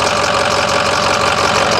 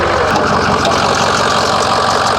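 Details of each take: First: 2006 Ford 6.0L Powerstroke diesel at first start before the test drive: steady, even diesel clatter at idle with no misses, surges or odd knocks, and zero blow-by seen; the engine idles normally. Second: 2006 Ford 6.0L Powerstroke diesel at first start, idling: steady idle with a faint, fairly even light tick. Owner suspects a belt issue, not confirmed; no blowby seen.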